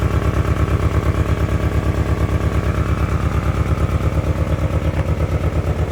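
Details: 1997 Ford Ranger four-cylinder, sat unused since 2011, new fuel pump and battery, old gasoline and spark plugs not yet replaced, idling with an uneven lumpy pulse about twice a second; rough idle.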